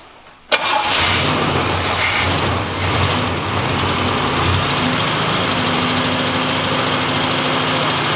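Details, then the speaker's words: 1986 Oldsmobile Cutlass saved from the crusher, started on the key with fuel added: catches after half a second and settles into a steady, even V8 idle with no knocks or stumbles; normal running. "that's all we need dude that thing sounds great"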